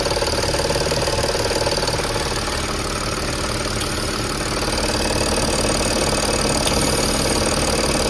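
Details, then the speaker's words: Audi A8 D5 diesel with knocking, intake manifold swap ruled out: steady idle with even pulsing beat near four per second over the clatter, felt at the high-pressure pump feed line; faulty high-pressure fuel pump. "И вот звук пульсирующий именно с ТНВД. Как вот пульсирует ТНВД."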